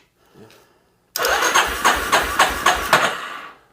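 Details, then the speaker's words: 1988 Yamaha Terrapro ATV that reportedly stalled, on a jump box: starter drags engine over slowly with uneven compression beats and no firing; owner fears an engine problem, no spark found. "oh yeah oh sound a little iffy right there didn't it okay something sounds a little off to me I'm hoping it's not something off in the motor"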